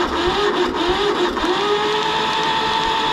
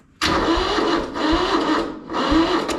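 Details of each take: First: Kubota L175 two-cylinder diesel tractor cranking with the decompression engaged: a fast, even starter churn with no compression thumps for about seven seconds, then cut off. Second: Kubota L175 two-cylinder diesel tractor, battery possibly low, decompression cable broken: starter churns in three short surges about a second each, never catches; cranks without starting, cause unconfirmed.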